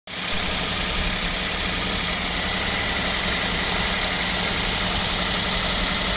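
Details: KIA Picanto 2, 1.0 G3LA three-cylinder, cold idle at about -7°C: busy, rapid tapping over engine note; owner suspects piston knock and asks if overhaul is due, cause unconfirmed.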